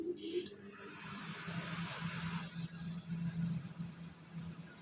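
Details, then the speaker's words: Samsung manual microwave, code M171N, brought in for loud noise while running. Checks covered the fan and the turntable gears. After repair it runs with only a soft, steady low hum, no rattles, buzzing or grinding; normal running. "นี่นะครับเหงียบกิ๊บนะครับอเอาแค่นี้ก่อนนะเพื่อนๆครับ"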